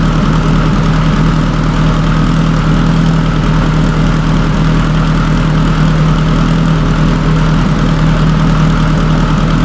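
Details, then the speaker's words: Subaru STI (1100+ whp build) fitted with a stock OEM EJ257 longblock, fully warmed up in neutral after a hard cold start; smooth, even low hum with steady pitch, no knocks or misses; normal warm idle. "so everything's looking good car is warmed up I'm just going to cruise it right now"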